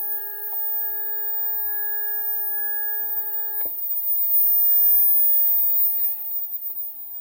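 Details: 3D printer stepper motor, unused for a year, previously fine on X/Y axis, 2 A peak, tested alone before parallel wiring: steady clean tonal hum moving smoothly, no grinding or skipping.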